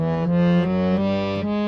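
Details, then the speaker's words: Delhi-style harmonium, other reed muted with a thin blade: higher-register (male) reed plays a clear, steady note with no rattle or buzz, confirming that side is fine while the bass reed buzzes. "This was the note. The sound is fine. So I know that on this side, on the higher register, on the male, is fine."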